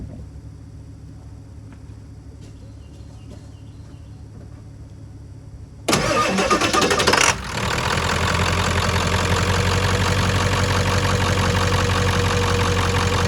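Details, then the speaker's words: 1996 Ford F-250 7.3L diesel, fully cold after sitting overnight, stuck-closed glow plug relay disconnected: starter cranks briefly, catches quickly and settles into a steady, even idle clatter; glow plugs apparently survived; healthy cold start. "It's looking good, so it looks like the glow plugs might have survived their their extended stay."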